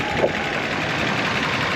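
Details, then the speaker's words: 1984 Toyota Celica Supra inline-six, 98k miles; owner suspects dried valve guide seals cause brief smoke on startup. Steady even idle, soft smooth patter, no knocks or misses; runs well. "it it still runs really really good but you know again small bit of smoke on Startup that dissipates pretty quickly"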